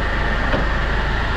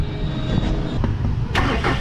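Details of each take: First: Hyundai Grand Starex diesel at idle, owner's noise complaint with timing chain suspected: a steady, high, gritty whine over the idle, like scraping or a bearing; a bearing grinding is suspected. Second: Hyundai Grand Starex diesel started with the drive belt removed: cranks and settles into a steady, low rumble with no grinding; the noise is gone, so the fault is outside the engine, not the suspected timing chain.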